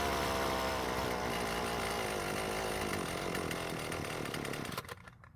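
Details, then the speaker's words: Husqvarna string trimmer with its cleaned original carburetor: starts easily and buzzes steadily, then sags and sputters out within seconds. Fuel starvation stall. "as you just heard it really didn't have an issue starting but once running it soon starves for fuel and then stops"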